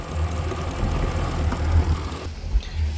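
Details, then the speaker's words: Mercury outboard after thermostat failure at 56 hours fixed, good water pressure: low even idle hum with faint light ticking from the fuel injectors; idles steady and healthy. "She has good water pressure. I guess anything could happen. You can hear the fuel injectors for sure."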